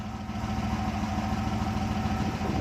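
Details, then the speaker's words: Rover SD1 3500SE V8 after gearbox conversion and carburettor fuel leak fix: steady, even low burble at idle with no misses, stumbles or knocks; now runs and drives with no fuel leak. "now it runs drives brakes clutch works and there's no fuel leak coming from the carburetor"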